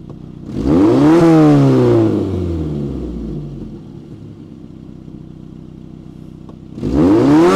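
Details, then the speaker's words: Peugeot 405 1.9L GRX4 after carburettor mixture adjustment with a Colortune, choke off: two sharp revs rise and fall smoothly with no stumble or flat spot; well set, running like clockwork. "mais voilà c'est bien réglée ni qu'elle écoutait tourne comme une horloge"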